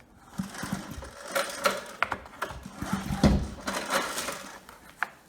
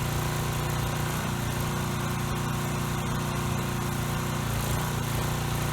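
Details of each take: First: Coleman Powermate Pulse 1850 generator, which surged when last run over a year ago, being recoil-pulled before repair: it turns slowly and stiffly; a dry cylinder or improper storage is suspected. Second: Coleman Powermate Pulse 1850 generator, which surged over a year ago, after carburetor cleaning and new fuel lines and filter, running with air box on, carburetor set two and a quarter turns out, no adjustment needed: one steady, even speed, no rise and fall or surging; normal steady running.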